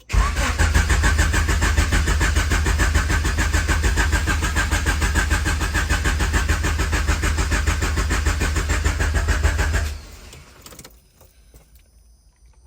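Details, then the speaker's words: H22-swapped CB7 Honda Accord turbo build, first crank after battery relocation to trunk with 0 gauge power wire and relay on kill switch; strong, quick, even cranking about ten seconds, no dragging; starting much better, healthy starter. "will say the starting is way better. That sounds healthy and strong."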